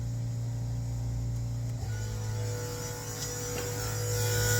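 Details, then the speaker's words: FueLab Prodigy 1800 external in-line fuel pump switched from low to high speed: a steady electric hum with a firm low drone, slightly louder than at low speed. Running cleanly and likely unnoticeable at full throttle. "A little bit louder, but probably if you're going full throttle, you're not going to notice that."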